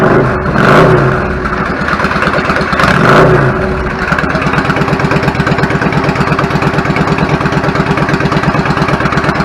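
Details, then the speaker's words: 1999 Yamaha V-Star 650 Classic V-twin, twin carbs, stock, 16K miles, after cleaning clogged pilot jets and adjusting idle: two throttle blips, then it settles into a steady, even idle. "the idle adjust smells a lot sounds good settles back of it I'm fine with it"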